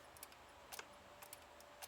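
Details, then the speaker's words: BMW E93 M3 motorized glove box latch actuator, removed from the car: faint light clicks about twice a second but no movement; the gears are gummed by hardened lubricant, fixed by cleaning. "I mean, you can probably hear the little click. You hear it? But it's not moving."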